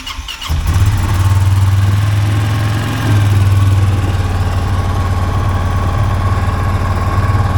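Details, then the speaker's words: 2023 Polaris Sportsman 570 ATV with high idle that makes shifting hard: engine settles into a steady fast drone around 2000 rpm instead of about 1200, caused by a loose throttle cable adjuster holding the throttle open. "And these idles should be around 1200 RPMs, I do believe. So we're pushing 2000, that's way too hot."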